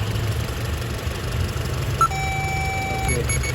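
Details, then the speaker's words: 2007 Honda CR-V A/C compressor not engaging: steady low idle with no clutch click or compressor load change, faint chimes; R134a pressure reads OK but gauge shows no oscillation when 12 V is applied to the compressor; relay and compressor suspected. "we're going to turn it on now it's turning on okay so now the compressor is not working because look at this"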